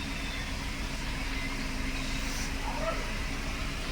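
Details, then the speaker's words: Mercedes-Benz W204/W212 four-cylinder after repair and clearing combustion misfire fault codes: steady even idle hum with no stumbles, no check engine light or new codes; normal smooth idle. "तो अभी हम करते हैं गाड़ी को start और देख सकते हैं गाड़ी ना एकदम स्मूथ हो गया"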